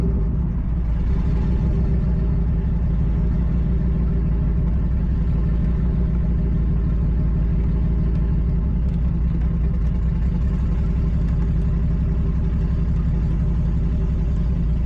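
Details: Nissan G35 with 1JZ swap on ECUMaster EMU Black; loud lumpy idle, uneven pulse about four beats a second, heavy low rumble, rough; owner suspects old, very low-octane fuel, unconfirmed.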